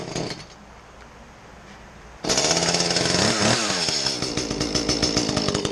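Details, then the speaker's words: Echo CS-310 small two-stroke chainsaw after the plugged spark arrestor screen was cleared and the muffler bolted back on: after a quiet start it fires and revs crisply with a clear, bright, unmuffled exhaust note, running healthy. "um and at the end of the video it sounded clear"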